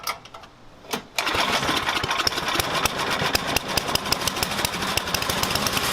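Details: Tecumseh Snow King snowblower engine after carburetor replacement: a couple of pulls, then catches and settles into fast, even, crisp beat with no sputter; runs fine.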